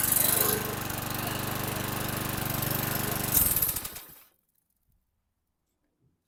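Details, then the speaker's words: 2011 Troy-Bilt 21-inch self-propelled mower, 725EX single-cylinder engine, after carburetor cleaning, new bowl gasket and cleaned tank: slightly uneven idle with an occasional stumble, then shut off; mild miss, owner suspects carbon on the valves. "it's started relatively easy and it sounds good there's a little bit of uh rough idle but it's nothing that I'm going to be worried about little bit of a Miss could be some Carbon on the valves"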